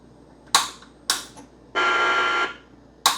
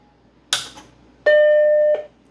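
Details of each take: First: Macintosh 512K with fully socketed logic board and previous repairs, power-on trying to boot an original system disc: every four seconds two sharp clicks then a harsh raspy speaker buzz instead of startup chime, no usable display; fault unidentified. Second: Macintosh 512K with socketed logic board, after repair, running outside its case: power switch click, then a single clean, sustained startup chime; board now stable when tapped. Normal startup chime.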